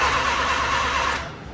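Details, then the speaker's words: 1980 Mazda RX-7 rotary, sat 6 to 8 months, choke out: starter turns, engine gives one short cough and dies; suspected carburetor problem keeping fuel out of the bowl, and the throttle only dribbles fuel. "All right, so we're getting it to cough on the key. So which makes me think that we have some carburetor problems, which is not allowing me to get fuel in the bowl."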